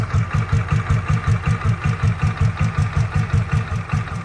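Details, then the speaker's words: 2007 Royal Enfield Bullet Machismo 500 LB AVL single, 5-speed, stock, sparingly used, freshly serviced with new plug, air filter and oils; started on self-starter, steady even thump at idle, absolutely smooth, no irregularities. Normal idle. "in idling absolutely smooth running engine and you can hear the beats I'm sure true Ari lovers know how uh 500 CC lb AVL engine should sound"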